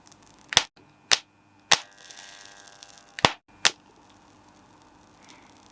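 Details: Homemade handheld spot welder built from microwave parts, test on two washers: five or six sharp, separate cracks about half a second apart, each a clean arc snap as the tips fire on the washers; working normally.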